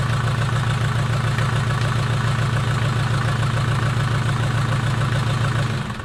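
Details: Mercedes 240D OM616 diesel cold start after sitting about a year and a half with old nasty fuel, injector lines bled by cranking: steady, even diesel clatter with no knocks, started right up and sounds good, smoking a little; normal idle.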